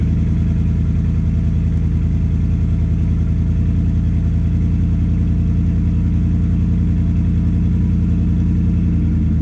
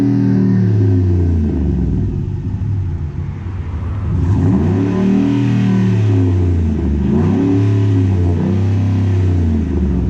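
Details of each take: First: 2010 Ford F-150 V8, cold start on the stock exhaust before a cat-back install: a loud, deep, throaty idle pulse far too raw for stock, from a big hole or crack leaking somewhere in the exhaust. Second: 2010 Ford F-150 V8 after installing Rough Country dual cat-back exhaust, idling then two revs: deep steady burble, no ticking or puffing at joints; normal exhaust note, no leaks.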